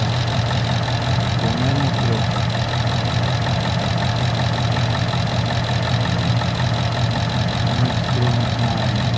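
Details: 2015 Ford Mustang, P0308 misfire on cylinder 8 at warm idle: a steady drone with occasional uneven stumbles. New plugs and swapping plug and coil between cylinders 7 and 8 didn't help; the oscilloscope showed injector signal dropouts, pointing to a damaged computer.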